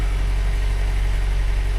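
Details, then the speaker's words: 2019 Jeep Wrangler Unlimited Rubicon, about 54,000 miles, at idle after start: lumpy, deep, gurgly idle with a steady low thumping and rough edge; noisy motor, cause not pinned down. "well that doesn't sound so [Music] healthy doesn't sound healthy at [Music] all she's a little gurgly for 50,000 miles this thing sounds like a turd box"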